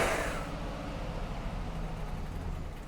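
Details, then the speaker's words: Abandoned Chevy with a rusty ancillary belt noise idles roughly, a faint uneven rumble that sags and struggles to stay running; rough idle, cause suspected as a weak battery or the alternator not kicking in. "So, it won't idle now. Probably because it maybe it's because it's because it's got a maybe because it hasn't got a a good enough battery on it."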